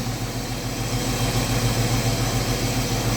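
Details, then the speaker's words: Chevrolet Omega 4.1 six-cylinder idling after swapping a too-thick valve cover gasket (C10 type) that lifted the cover and unsealed the intake manifold for the thinner original SABO one: smooth steady idle, no exhaust-like puffing or ticking; fixed. "fica a dica né sempre fazer as medições nessa vez eu dei esse vacilo que eu não medi a junto a gente com essa palha mas agora tá aí ó funcionando redondinho é"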